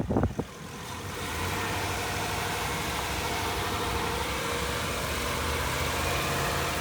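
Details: 2014 Ford E250 van driving after a bent transmission part was replaced and the transmission reset with a scan tool to relearn: steady even engine note, smooth road rumble, no grinding or knocking, pulling and shifting cleanly; normal running.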